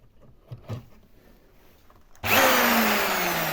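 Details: Jigsaw that hums with a working motor but no blade movement: smooth motor whine with no blade chatter, because the blade drive mechanism has come disconnected inside.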